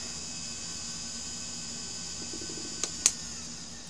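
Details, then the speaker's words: 20 GB Maxtor hard drive on power only, with no interface connected and heard before the pickup-coil listener is applied: faint steady high whine over a soft fan-like hiss with a couple of small clicks. Normal healthy spin-up. "there we go now it's spinning not much drama there"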